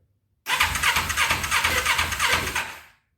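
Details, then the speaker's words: 2000 Kawasaki Ninja 250, cold start on full choke after carb bowl filled: catches on the starter, runs raggedly with uneven pulses about three a second, then fades out; hard starting with a very sticky choke. "The choke is very sticky. All right, guys, I don't like revving a cold motor like that, but right now I'm just running with the choke."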